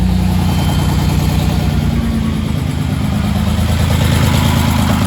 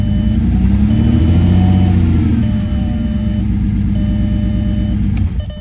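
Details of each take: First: Freshly rebuilt VR6 engine just installed, on first start: low throbbing idle with slight irregular chug instead of an even rhythm; owner suspects a missed vacuum line, unconfirmed. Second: Rebuilt VR6 engine, first start after installation, throttle blipped: strong, smooth note rising and settling, steady firing with no knocks or rattles; gauges responding, sounds healthy.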